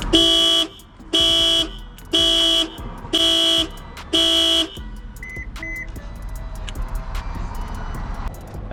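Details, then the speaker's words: Completely dead car connected to an AutoOne jump starter: five loud, even horn-like alarm blasts about one a second, then quiet; the alarm going off shows the jump pack is powering the car. "you can hear guys, the alarm went off. So that mean it's powering the the car."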